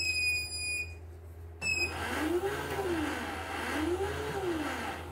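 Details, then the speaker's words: CNY E900 embroidery machine with a touchscreen that won't respond: a thin, steady high whine at switch-on that then cuts out, caused by a detached rubber part inside. "Karetnya itu terlepas. Jadi bunyinya tadi ya di awal nyala itu bunyi ngeng gitu."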